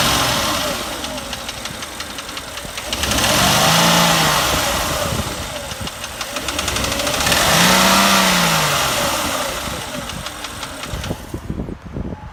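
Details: 2008 Porsche Cayenne Turbo petrol V8, 93k miles, blipped twice from idle: fast metallic knocking from driver's side that thickens with revs; suspected stretched timing chain slap or piston noise, never diagnosed.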